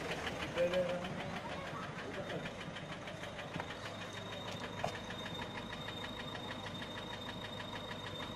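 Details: Peugeot 407 1.6 HDi 90 diesel at idle: light quick steady valvetrain ticking, about three per second. Noise began after a road drive, with slight white smoke from the rear. Mechanic suspects tappets (poussoirs) or camshaft, unconfirmed.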